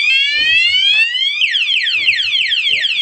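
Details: Honda Supra X 125 with an aftermarket alarm installed without cutting wires; when locked by remote, a start attempt trips a loud sweeping, wailing siren and the alarm blocks ignition.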